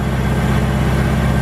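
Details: Ford GT-40 V8 in a Ski Nautique boat, started cold at about 70 degrees ambient during an IAC valve test: even, deep idle with a steady low beat and no knocks or misses, idle coming down.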